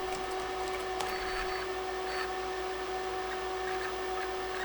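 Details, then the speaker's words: Tandy 1000 SL/2 MFM hard drive booting into MS-DOS after long shelf storage: a steady whine with scattered quick ticks and chirps from the stepper motor moving the heads, a typical squeaky MFM sound; seeking and working normally. "So you can actually hear the stepper motor doing its thing. You can hear the heads moving, and it is actually starting up in MS-DOS."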